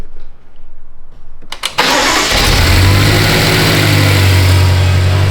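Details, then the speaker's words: Salvage-title, high-mileage BMW M5 V8 cold start after repairs for low oil pressure and retarded VANOS exhaust cam codes: short crank, clean catch, then a steady, deep high idle that kicks down, with no check engine or drivetrain malfunction. "Oh, you hear it just kick down? Okay, I think we did it. There's no check engine light."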